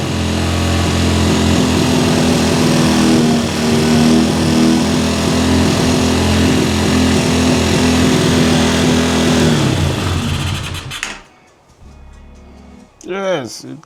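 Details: Cheap quad bike ATV after new wiring loom, cleaned carburettor, new spark plug, CDI, regulator, battery and clutch, jump-started and warmed up: small single revs briskly, settles into a steady even buzz, no misses or knocks, then shuts off; normal running.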